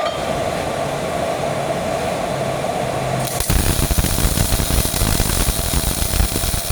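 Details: Old Miller-Matic 251 MIG welder at 21 volts and 366, welding pipe fittings: a soft hiss, then a steady, even frying crackle once the arc strikes, a healthy, well-set arc; normal MIG welding arc.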